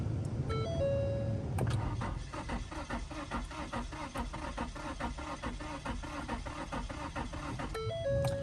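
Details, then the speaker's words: 2015 Ford Taurus Limited after unnecessary fuel pump replacement: door chimes, then several seconds of steady cranking that never fires; gets fuel but won't ignite, owner suspects alternator, blown fuses or faulty wiring. "it's getting fuel but it's not igniting I don't understand"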